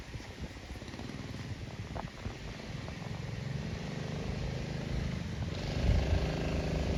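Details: Early-1970s Pacesetter Trailbuck mini bike pulling away over rough ground after replacing a failed torque converter and re-setting it for jackshaft use. Low, even engine burble builds smoothly, drive engages cleanly and runs fine.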